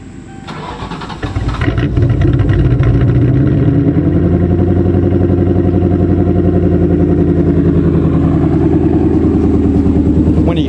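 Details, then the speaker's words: 1995 Ford Thunderbird LX that suddenly lost power with cylinders not firing; engine catches into a fast, uneven stumbling idle, misfire from water found in the spark plug wells. "we're gonna pull the plug wires and see if uh one of them's bad because it could be just cutting sparks"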